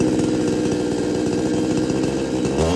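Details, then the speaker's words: Kisan Kraft chainsaw brought in for repair: holds a steady buzzing run, then stumbles and the pitch sags instead of picking up; bogs under throttle, won't take load or pick up. "Problem है load नहीं ले"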